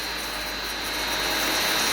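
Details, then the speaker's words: Pump running at about 74–75 PSI, tested alone with the other pump stopped: steady high whirring hiss with a thin whine on top, suspected pump bearing problem since the sound follows rotational speed. "Now, what you do have potentially, it's a pump bearing problem. You hear it?"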